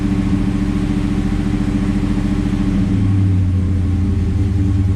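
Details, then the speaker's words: 1973 Camaro Z28 V8 after first-time install of Howards hydraulic roller cam (.525 lift, 219/225 duration), new timing chain, roller lifters, shorter pushrods; first start in months, cold, idle mixture screws 1.5 turns out: starts right away, deep even burble, smooth idle, 60 psi oil pressure cold, slightly rich. "Starts up right away. Whoa. It started up right away. Nice. Wow."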